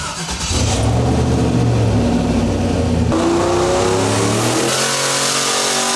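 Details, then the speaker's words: Turbo Silverado with SBE engine and Holley Terminator X on the dyno, boost raised about five pounds of dome pressure: hard full-throttle pull with rising note and uneven stumbling edge; slight misfire under load, spark plug gaps suspected. "it also sounds like I had a little Miss to it so it might need to Gap the bugs"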